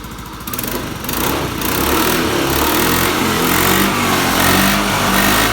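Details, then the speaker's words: Honda Beat scooter after CKP sensor replaced for lost ignition, kick-started because of a drained battery: small single-cylinder catches and settles into steady buzzing idle with a few light revs, running evenly; normal running. "Motor hidup, oke, motor hidup dengan normal. Ya, normal ya, real ya ini."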